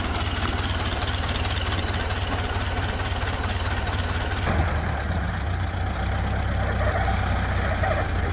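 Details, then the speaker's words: 1931 Ford Model A, flathead four, 200.5 cu in, about 4.5:1 compression, just revived after 65+ years stored; low, slow, even putter with steady beat, no knocks or misses; smooth, healthy low idle. "I don't know, these things idle pretty low like that. Yeah, it sounds good."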